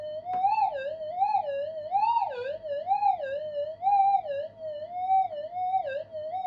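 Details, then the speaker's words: Minelab GPX 5000 metal detector fitted with new parts, bench-tested with power supply and signal generator: a wavering, siren-like warble about once a second drowns out the faint target signal. Electrical interference is suspected from a TV, computers, or solar inverters nearby. "You know, it's got very noisy, so I don't know why that is. Someone's probably put a TV on, another computer, neighbours have done something, sun's come out and started operating all the solar panels around us, and all the inverters are fired up."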